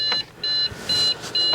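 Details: Trash-picked Dell Inspiron 660S desktop, CPU cooler caked with dust: four even high-pitched beeps, about a quarter second each with short gaps, on a failed power-on; boot error code, later traced to a dead CMOS battery.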